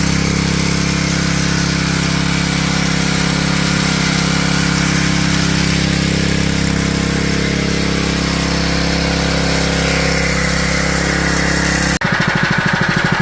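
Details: GX160 junkyard engine after a carburetor rebuild, started on choke: the single cylinder holds a steady, even beat at fast idle with no misses or hunting; running properly while smoking heavily.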